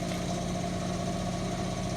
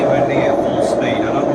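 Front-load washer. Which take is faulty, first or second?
second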